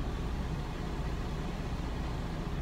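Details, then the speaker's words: Diesel truck parked with engine off at rest area: steady low whooshing roar with no engine beat; bunk HVAC blower stuck on full speed, fan speed uncontrollable, draining the battery. "noise there is the HVAC controls for the bunk stuck on full-blast all the time I can control the temperature but I can't control the fan speed"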